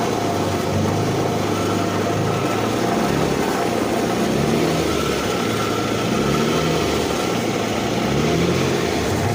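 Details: 2008 Infiniti M35x with 187K at a steady idle buried under a dense, constant clatter: an engine rattle whose source is not pinned down.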